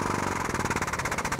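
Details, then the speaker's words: AME 10,000 PSI 5-quart air/hydraulic pump with an air lock in the pickup tube. Priming by holding the pedal in release while running the air motor about five seconds gives rapid, even pneumatic pulsing; the air purges and the pump then builds pressure normally. "as you can hear it took the air out dumped it back to the reservoir and now you only had hydraulics and when I reactivated the pump it pumped up the pressure like it should"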